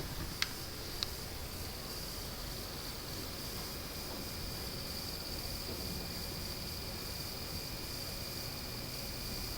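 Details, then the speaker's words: Panasonic TC-P46G25 plasma TV, mic placed close because the noise isn't picked up from 7 ft: faint, steady high-pitched buzz under hiss with two small clicks; panel buzz louder on bright images. "I'm sitting around 7 ft from the TV and I can clearly hear that sound when the volume is is low or between words or between noises you can clearly hear that buzzing sound"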